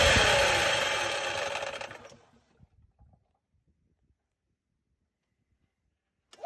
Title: EZGO TXT Gas- Clutch grinding noise